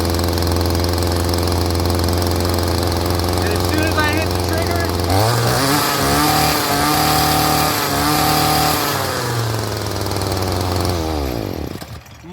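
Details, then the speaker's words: Stihl string trimmer (commercial user) that would not rev and stalled, now after carburetor idle/mixture adjustment: steady fast idle, then snaps cleanly to high revs on trigger with no bogging and drops back smoothly; normal revving. "So that's what the problem on that one was. As soon as I hit the trigger now, it jumps right up where it's supposed to go. There's no bogging at low idle."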